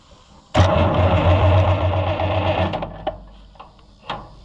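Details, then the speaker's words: Oliver 1650/1655 tractor after swap to a new Delco-style distributor: starter churns evenly about two seconds with no firing; no spark because the new points weren't sanded and had grease on them. "We forgot to sand the points cuz we know it's not going to run like this brand new."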